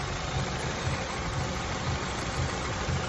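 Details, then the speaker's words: Honda Accord, 173k miles, after throttle body service for rough running: steady even idle with soft low pulse about twice a second, no misses; running clean though still in limp mode. "yeah she's pretty good now you guys she's running great"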